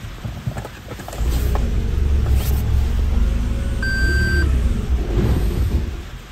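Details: Toyota Prius PHV GR, 80,000 km, restarted after stopping the engine mid-cranking and clearing code P035313 (igniter open circuit): heavy uneven rumble that surges and sags with a beep, then stalls; ignition coil or harness fault suspected.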